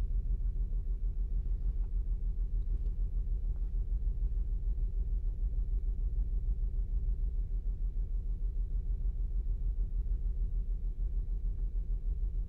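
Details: 2008 Saturn Outlook at cold idle, cylinder 1 misfire seen with the Torque app and a BAFX Bluetooth tool, only on cold starts; steady low thump about three times a second, an uneven exhaust beat.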